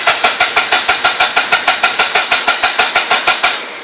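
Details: Mazda RX-8 rotary engine: steady starter cranking with even pulses about three a second for three and a half seconds, never catching; cranks but won't start.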